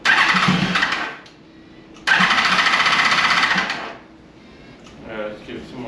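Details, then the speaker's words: 2002 Yamaha FZ1 1000cc, first start in 8 years after tank cleaning and new petcock, on starter fluid: two bursts of cranking with ragged sputtering that never catches; fuel not yet reaching the carburetors. "That's definitely just on the starter fluid, but we're trying to get these carburetors uh primed up with fuel."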